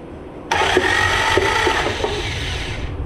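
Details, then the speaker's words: Junk Willys Jeep F-head engine, once seized, cranked on starter via bell housing to check oil pressure: steady spinning with dull irregular clunks from the bottom end, something loose inside. "that sounds good also sounds like something clunky in the lower end um let's ignore that for now and spin it a little more there's definitely something loose in there"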